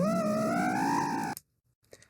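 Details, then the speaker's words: Quad: high, wavering whine climbs about a second then cuts off; motor flutter said to burn out motors within 10-15 seconds; cause of oscillation not confirmed. "if you ever arm your quad and you hear that sound you need to land immediately uh that sound will burn out your Motors or ESC more likely your Motors"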